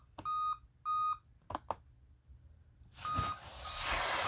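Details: 2016 Dell Inspiron 15 3000-series laptop, unused for two years with its main battery drained: five repeated steady high beeps, suspected to mean a dead CMOS battery, which is being replaced.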